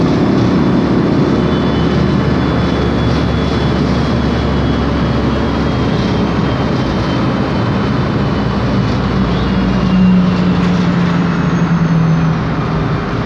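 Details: 2007 MAN Lion's Classic city bus, MAN E2876 LUH03 EEV CNG engine, Voith DIWA 864.3 4-speed automatic, while driving: heavy low engine drone with a thin steady whine rising briefly; driveline or rear differential whine, source unconfirmed.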